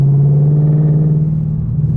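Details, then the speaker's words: Car with its resonator removed, before adding J-pipes: deep steady droning boom in the cabin at cruise around 2000 rpm from the exhaust. "yeah right right around like 2000 rpm right now is really really bad"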